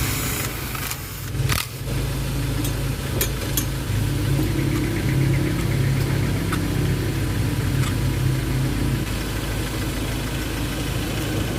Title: ENGINE LOCK OF POWER/ # 3 MISFIRE DETECTED/ 30 TO 50 KM/H /PROBLEM SOLVE/BASIC INFO/WATCH